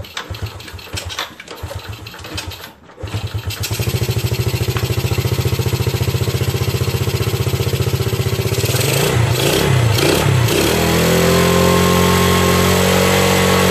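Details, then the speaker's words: Yamaha Vega RR/ZR motorcycle after combustion chamber cleaning with foam carbon cleaner without engine disassembly: starter churns unevenly about three seconds before catching, revs briefly, settles to idle; still sometimes hard to start. "crank sometimes still hard to live"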